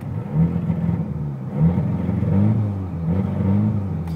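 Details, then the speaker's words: Turbo petrol car on a warm day, the only time the fault appears: free revs stumble and misfire, and the blow-off valve vents with a short airy hiss, which it normally never does. The owner wonders about a vacuum leak. "it's also causing the blow off to actually um off just by simply revving it which this car never and i mean never does that"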